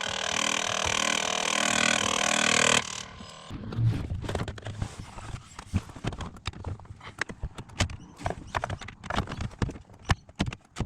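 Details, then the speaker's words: Ford Territory SZ, clicking from under driver-side dash, traced by stethoscope after removing knee airbag to the driver blend door actuator motor; sharp irregular clicks and ratcheting in uneven bursts, actuator to be replaced. "so I found the source of this horrible noise the clicking noise uh after removing the knee ear bag uh using my tusty stetoscope it's coming from the motar this one"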